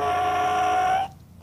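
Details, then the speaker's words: Outboard fuel pump check-valve test, rebuilt pump: air passes with a clean steady whistle one way, sealed the other; normal operation, unlike a faulty pump passing air both ways. "now I can go through every running engine I have here and do that same test and I'm going to hear that weird noise and only be able to suck in one direction"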